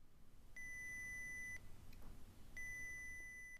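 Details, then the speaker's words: Arduino water-detection alarm prototype: a clean beep of about 2,000 Hz lasting about one second, then a second of quiet, repeating; the alarm sounds as intended, though not very loud yet. "Pretty annoying, huh? I think I picked a good annoying noise."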